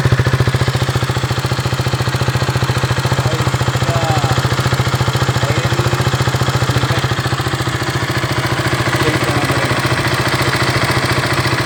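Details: KTM Duke 200 at idle: steady idle with a fast, even tick of about 214 per minute over the engine note; abnormal engine noise at idle, cause not pinned down.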